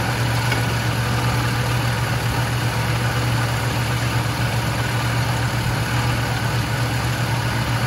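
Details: 1976 Lincoln Continental 460 big-block V8 with 41,000 original miles, idling: deep, steady low rumble with no misses, knocks or ticks; normal, healthy idle.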